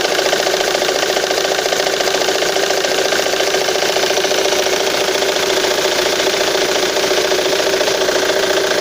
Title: Непонятный стук двигателя Мондео 3